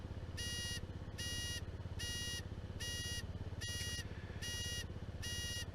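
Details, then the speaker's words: Honda Zoomer scooter recorded from a helmet cam: shrill beeps about every 0.8 seconds over a low engine hum. This is the owner-added audible indicator buzzer working as intended. "That noise you can hear is the audible indicators. When I first got the zoomer, I found the indicator switch really fiddly compared to the sort of more modern ones."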